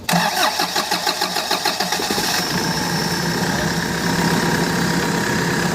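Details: Bongo 3 diesel, hard starting: slow, uneven cranking pulses for about two seconds before it catches and settles into a rough idle.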